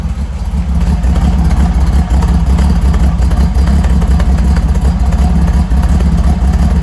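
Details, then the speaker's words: Holden grey motor, first start after rebuild with twin carbs and temporary open exhaust out of the muffler: steady, even low rumble at idle, loud exhaust, no knocks or misses; normal idle. "I think she's doing pretty good so I'll show you how it's idling now and um would be good fun I like it sounds good"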